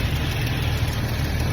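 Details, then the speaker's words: 1998 Jeep TJ, after replacing the crankshaft position sensor for a no-start: low, steady idle that holds even without stumbling or misfires; runs normally. "She seems to be running okay. Still got a long ways to go with this Jeep, but at least she's running."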